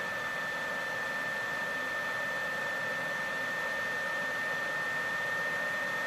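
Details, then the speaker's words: PS4 Pro console cooling fan, before cleaning, with a game running: a steady, loud airy rush with a constant high whistle that never lets up under load. The fan is far too loud. "even if I were to pull this out you know it's not gonna be as loud but it's still freaking loud"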